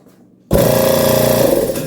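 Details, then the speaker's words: Used Schulz direct-drive air compressor after a loose internal fastening that caused loud internal metallic noise was tightened: it starts and runs with a steady even pumping hum, only compression sound and no metallic knocking; normal running after the fix. "barulho metálico pessoal só o barulho da compressão mesmo então a gente tá no caminho certo então aí o barulhinho só mesmo né do processo de compressão do ar"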